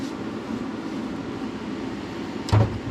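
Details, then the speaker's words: 1965 Ford F100 with 460 big block V8, first start in 11 years after building oil pressure: smooth steady low rumble with no ticking or tapping from the top end, little valvetrain noise; normal running. "fantastic we got a runner seem to be a ripper"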